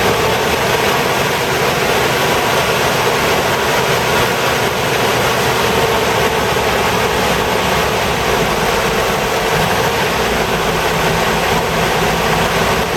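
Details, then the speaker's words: 1988 Toyota Hiace while driving, after viscous fan clutch work: steady engine run with a strong, even fan roar and no slipping or fluttering; viscous fan clutch engaged. "well as you can hear when I drive this the F's locked in nicely"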